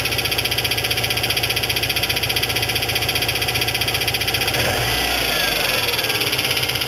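Steady idle with a hollow knock about three times a second, following engine speed; a cracked flexplate slapping at the transmission end.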